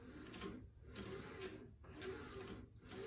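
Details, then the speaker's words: OBM surface grinder attachment with 90 durometer wheel on a 2x72 belt grinder, wheel set just barely touching the belt: soft tick about once a second over belt hiss; normal light contact before small incremental passes. "It's just barely ticking that belt right now, okay?"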